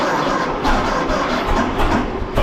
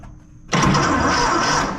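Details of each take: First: 1926 Seagrave ladder truck, 1013 cubic inch six-cylinder, first start in 10-15 years, fuel fed to carburetor by squeeze ball, valve suspected stuck open: catches and sputters unevenly, nearly dying before picking up; flooding on too much fuel. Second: 1926 Seagrave ladder truck with the 1013 cu in F engine, first start attempt in at least 10 years, on a group 31 battery with a small geared-down starter. The starter engages and churns the engine over at a strong, steady pace: healthy cranking.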